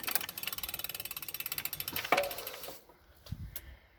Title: knocking noise present on freewheeling